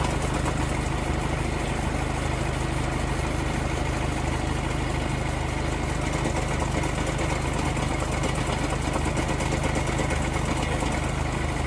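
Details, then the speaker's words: VW Golf restarted after cooling down, owner reports strange noise worse when cold. Steady cold idle with low loose clunking rattle underneath, about three knocks a second; worn dual-mass flywheel, replaced. "지금 이렇게 덜커덩 소리가 나요."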